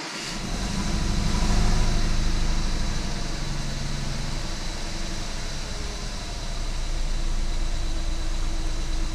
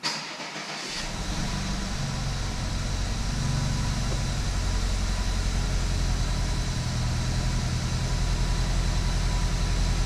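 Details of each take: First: 2014 BMW 320i turbo (F30), first start after engine rebuild: idle lopes unevenly at about three pulses a second. Codes show cylinder 1 injector open circuit and cylinder 1 misfire; coil or injector suspected. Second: Rebuilt BMW 320i turbo engine, first start after rebuild with fault codes cleared: catches within a second and settles into an even, steady idle, no misfire or knock, no dash lights; noted as a noisy engine, warming up.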